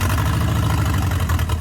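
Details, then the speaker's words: 1987 Nissan Silvia S12 1.8 turbo, first start after sitting 14 years: loud, lumpy low idle that stumbles and surges unevenly; rough idle, owner suspects a boost leak from missing hoses or a lambda probe issue. "uh let's turn it off it sounds sounds sick I'm not gonna call that an idol"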